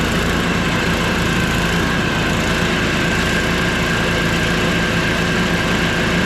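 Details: Small engine after a conversion, running after priming with fuel shutoff opened: continuous even chug, no misses or knocks; running fine.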